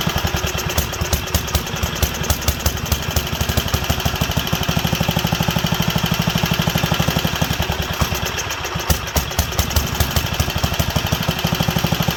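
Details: Wisconsin AENL barn-find engine on its first run in 20+ years, after spark restoration and a fuel system and carb cleaning: single-cylinder popping that leans out and recovers in a hunting idle; a new needle is suspected.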